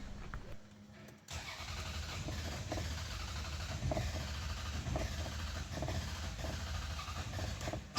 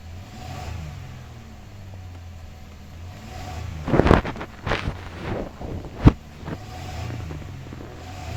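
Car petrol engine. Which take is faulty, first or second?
first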